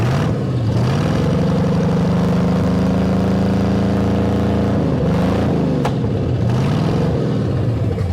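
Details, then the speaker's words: 1973 Ford Mustang Mach 1, 351 V8, revived after sitting over 15 years, just shifted through reverse and forward: a couple of revs, pitch rising cleanly, holding steady, then falling back smoothly to idle; normal revving. "Poured some gas in it, got it some spark, and it's running and it's idling."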